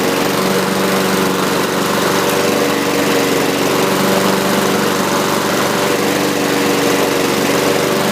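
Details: Used 2015 Husqvarna rear-wheel-drive mower with side chute, recoil slow to rewind: smooth, constant buzz at steady speed with no misses, rattles or hunting. Engine running cleanly, normal.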